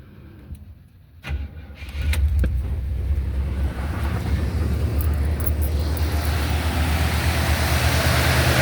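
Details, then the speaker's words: 1977 Buick LeSabre, first start attempt after sitting, fuel added and gas poured into carburetor: slow cranking, then catches into a low rumble but dies; runs only on poured fuel. Owner suspects clogged tank sending unit; fuel pump brand new. "And she sounds like she brought up fuel. I did pour a lot of gas in the carburetor, but and she just died on me."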